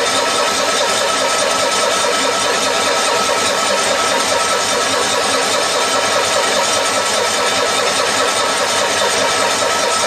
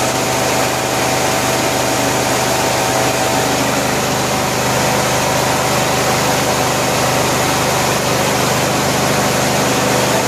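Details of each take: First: 1974 Cushman Truckster Haulster cold start after a rewiring job, mechanical fuel pump with a dry carburetor: steady starter churn for the whole stretch with no firing; cranks long without starting, likely fuel-starved. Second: 1974 Cushman Truckster Haulster after rewiring, running once the fuel tank was pressurized with air to push fuel to the filter: a steady, even idle with no knocks, misses or hunting. The engine sounds healthy.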